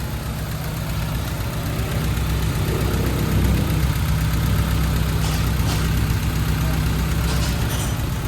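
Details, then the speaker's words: 2000 Honda City, manual, idle rising and dropping: low steady drone with slightly uneven, lumpy pushing beat, vibrating without real misfire, worse with aircon on; rough idle from incorrect ignition timing. "Ano siya para siyang tumutulak na malakas na pinipigilan. Yan oh. Yung buwelo niya hindi pino oh."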